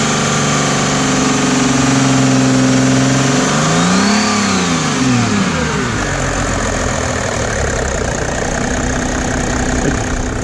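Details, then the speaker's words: Mercedes W210 E300 OM606 turbodiesel after a Liqui Moly diesel purge (one bottle): steady idle, blips up in revs and settles back, running smooth without knocking; normal. "sounds real smooth especially rpm like"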